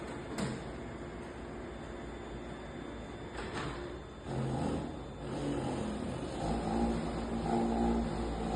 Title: Toshiba 3015AC Fuser Abnormal Sound.